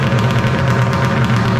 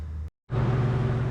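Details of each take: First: 1995 Polaris Storm 800 triple two-stroke, 1,500 miles, after setting all three carb screws to 5.5 turns out, air box refitted; smooth even burble at steady low pitch for three seconds before winding down; normal idle. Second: 1995 Polaris Storm 800 triple two-stroke snowmobile, 1,500 original miles, runs well at top end but won't idle down; after a brief cut a fast even buzz holds well above normal tickover; high idle before carb air screw adjustment.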